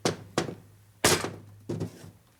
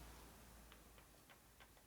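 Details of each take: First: Harley-Davidson 1978 Shovelhead engine on the bench during machining, gears rocked by hand: irregular hollow clunks at each reversal from loose pinion-to-camshaft gear mesh; excessive cam gear backlash that will sound like loose valves each time the cam goes over center. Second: 1978 Harley-Davidson Shovelhead, cam gears turned slowly by hand after end-play setting: few faint soft ticks about three a second over near silence, previously clunking; normal cam gear mesh.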